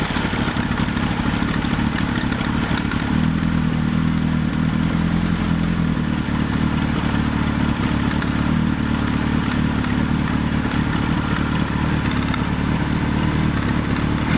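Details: Suzuki GS1100E after upgrade to Mikuni RS34 carburetors with new boots, started with no choke: steady multi-cylinder idle with an even low beat and no misses, smooth and stable throughout; the carbs are running healthy.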